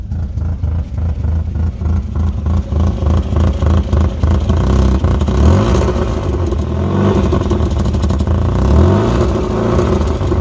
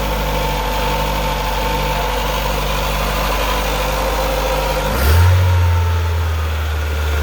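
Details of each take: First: 2008 Chevy Aveo5 four-cylinder daily driver: loud, raspy drone with rapid puffing swelling with revs from a severe exhaust leak, later repaired by welding. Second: 2008 Chevy Aveo5 after a welded repair of a severe exhaust leak: steady deep idle, then a brief rev rising cleanly and settling with no puffing or ticking; normal, tight exhaust note.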